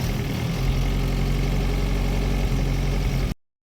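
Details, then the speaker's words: UAZ engine that would not start (immobiliser, new ignition lock not working, old lock refitted) now idling: steady, even low rumble with no misses or knocks until it cuts off; runs well. "Болды, істеп тұр. Моторыңыз жақсы істейді екен, а?"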